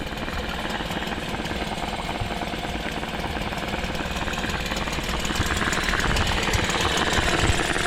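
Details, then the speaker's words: 1998 Nissan 5 hp single-cylinder two-stroke short-shaft outboard, long-stored, after carburetor cleaning: quick even putter, steady revs, slightly louder toward the end; running clean and healthy. "let's just fire it up it's Hest pretty quiet being a one cylinder for a two-stroke"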